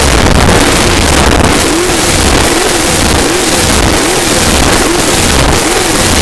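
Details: 454 Big Block Chevy stroked to 496 for a 1968 Chevelle, test run: loud lumpy idle with even blips to a quarter to a third throttle about once a second, revs rising and falling cleanly, no knocks; normal.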